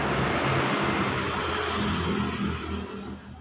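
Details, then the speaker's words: Honda Vario 125 FI scooter after replacing a noisy piston and the camshaft: smooth, even engine hum with a steady beat and no tapping or rattle, easing off at the end; it now runs smoothly. "Jadi kesimpulannya adalah motor Ini tadinya pistonnya bunyi-bunyi terus kita ganti episodenya terus ganti kampratnya Hai sekarang sudah selesai Hai untuk suara sudah halus ya"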